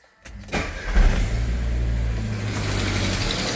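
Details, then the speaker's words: Chevrolet Agile/Montana-type petrol car cold start: cranks, fires and settles into a cold idle with a faint puffing tick from an exhaust leak, a noise that fades as the engine warms. "Olha o barulhozinho aí, ó. Isso aqui é vazamento no escapamento, tá vendo? Vai aquecendo, esse barulho vai diminuindo."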